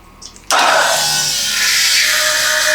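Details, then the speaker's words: Custom land-speed bike with a 998cc turbo Ducati engine, fuel system primed after a race-fuel swap, before a quick start: a steady high hiss with a faint hum switches on abruptly and holds even; the fuel pump is running normally with good pressure. "Getting good fuel pressure. You can hear it going through the pump."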